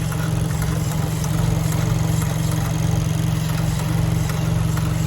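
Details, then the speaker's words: Vanderhall overheating, hood removed: faint regular click about twice a second at idle from a very hot component under the hood; gauges stop working and engine won't restart when overheated; owner suspects that hot part triggers the problem. "so the clicking sound that you hear is coming out of this area right here this baby right here it's really hot to the touch and so i believe that's what's triggering this problem"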